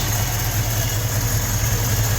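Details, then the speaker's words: 1956 Ford F500 truck running on its own reassembled fuel tank, new sending unit and fuel neck hose, Wix filter: even, steady low rumble at idle with no misses, knocks or stumbles; normal idle, no leaks. "And there we go, ladies and gentlemen. She is running off of her own fuel tank. No leaks."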